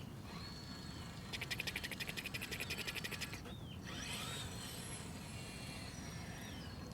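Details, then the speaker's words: RC crawler reversing: quick, light ticking about eight per second for a couple of seconds; owner suspects wrong dig servo end points or a flexing horn. "Clicking in reverse is interesting. Uh, best case scenario, end points on that dig servo are just wrong."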